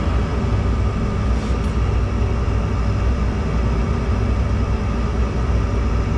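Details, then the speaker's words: Gas furnace after removing a cobweb from the burner orifice blocking flame crossover: steady low burner roar, no flutter or popping; lit cleanly, burning normally. "that was successful. Looks like we got some dust out of that burner too."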